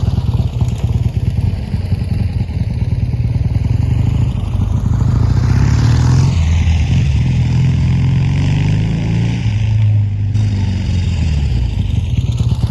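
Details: Triumph T140 twin after new carbs fitted and an intake air leak sealed with extra clamps: strong, even beat holds steady and blips cleanly with no stumble or misfire. Running normally.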